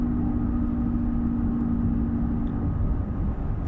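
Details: Volvo XC90 coasting down: steady low whine/drone over road rumble on deceleration between 65 and 20 mph, gradually worsening; worn rear differential/final drive needing rebuild.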